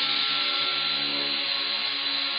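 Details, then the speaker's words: Dotco air belt sander, rated 12,000 rpm, on a small compressor, free running unloaded: smooth, steady high airy whir, even pitch, no rattle, bogging or surging; quick and very quiet. "that looks pretty quick to me very quiet i'd be hard-pressed to say how many rpm that is"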